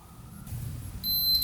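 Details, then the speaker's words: 1972 Honda CT70 wiring continuity test: after a short rustle, a clear steady high beep from the meter shows continuity between the two lines once damaged sections of wire were chopped off. "So, if you do a continuity test, you should hear a beep between the two lines."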